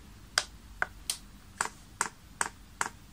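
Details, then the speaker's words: Chinese diesel heater with LCD controller, fuel line in a tub of paraffin: sharp dry clicks about two or three a second as the fuel pump primes normally via the controller's prime function. "you can hear that pump's clicking and is in fact now priming"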